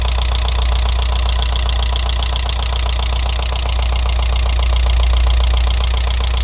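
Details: Alfa Romeo 166 2.0 TS petrol engine idling with a quick steady metallic knock. It began after head gasket replacement; tappet buckets ruled out and variator checked. A stethoscope places it on the right side of the engine near cylinders 3–4, cause unknown.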